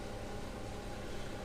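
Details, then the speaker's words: Old Karcher K7.20 pressure washer plugged in and switched on: steady low hum, motor won't start though it turns freely by hand; failed capacitor, needs 40 µF replacement. "Подключаем в розетку. Включаем. Гудит только. Больше ничего не делает."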